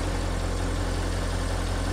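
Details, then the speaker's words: Audi RS6 4.0 TFSI after thermostat/water pump housing replacement, coolant refill, turbo oil strainer, check valve and PCV replacement, first start on ramp: low, even idle with steady rumble, no ticks or misses; healthy. "She's alive! Alright, let's go and check out the front. Get these doors open. Well, she sounds good."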